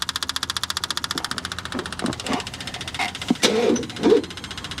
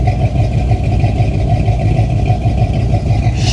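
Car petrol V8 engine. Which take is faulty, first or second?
first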